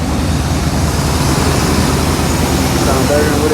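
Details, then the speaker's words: 1995 Suburban 350 TBI V8, 257k miles, just after replacing both fuel injectors for lost power: deep steady rumble, even with no stumble or misfire, faint traffic behind; normal idle after repair. "Oh, that started. Started crazy. I ain't started it up in a minute, though, but All right, that's dope."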